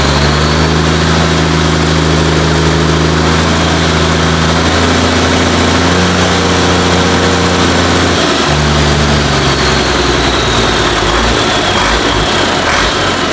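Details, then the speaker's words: International DT466 diesel for a 1966 Ford F250, first start after fuel priming, no muffler: steady, even idle with deep exhaust rumble, no knocks or misses; runs well, oil pressure unchecked; normal diesel idle. "you see it running it runs really good uh don't know about oil pressure or anything like that i haven't hooked the gauge up to it um i'm pretty sure it's fine i don't hear any um knocks or anything"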